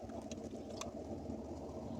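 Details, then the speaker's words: 1987 C4 Corvette after fuel pump replacement and new battery, first cold start after sitting two years: loud, steady, even idle with a low smooth rumble, no knocks or misses; normal idle. "did you hear how it ran i think it's loud i like it i like it"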